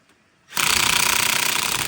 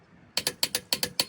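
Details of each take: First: Car tire rotation, cold day: cordless impact wrench on a lug nut hammers steadily about a second and a half, then a short feeble burst dies off; it fails to break the nut loose, owner suspects a dead battery. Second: Click-type torque wrench set to about 100 ft-lb on a half-inch socket tightening a lug nut: crisp metallic clicks in quick pairs showing the nut has reached set torque.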